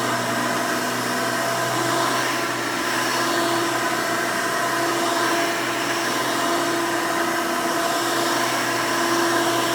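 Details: 1992 Hoover Elite II Total System Performance 650 upright vacuum, model U4689-910, bought used, motor untouched: loud, steady high-pitched roar, constant tone, no rattles or surging. Runs very smooth and sounds good.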